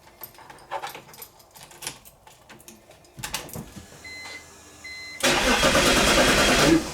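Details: BMW E46/E39 no-crank no-start diagnostic test. A few light clicks, then about 1.5 seconds of steady cranking that never catches; it cranks without starting, which means the ignition switch and starter are good.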